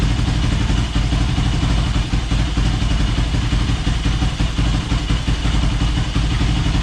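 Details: Yamaha YFZ450 roughly 2006 project quad on stand, first start with new fuel line, fuel on reserve, air box off: loud, steady single-cylinder idle, slightly uneven beat, no knocks or misses; needs fine-tuning with air box. Normal idle.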